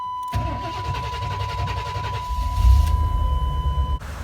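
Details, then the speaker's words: Chevy engine cranking on newly installed starter fitted without a shim (old one had none, gear teeth wear normal): quick even cranking about two seconds, then catches and idles with no grinding; normal starter. "the old starter didn't have a shim whenever we took it apart and the wear on these teeth looks just like how it should be there's not any wearing down at the bottom of the grooves so we didn't add a shim whenever we put the new one in and it still sounds great there's not any grinding"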